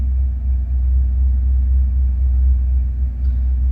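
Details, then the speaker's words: 1988 Ford F150 with the 5.0 V8 and manual transmission: deep V8 rumble that wavers and sags instead of holding a steady idle; it accelerates fine but won't idle, smells rich and the idle climbs. Cause unknown. "accelerates fine like I mean I can sit there and hold it but does not want to idle"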